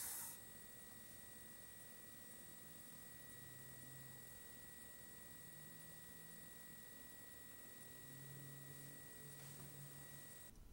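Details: AMD Radeon R9 Fury X graphics card from the initial day-one batch with the known bad pump, fan stopped so only the liquid cooler pump is heard: a thin, steady, high-pitched whine that never changes.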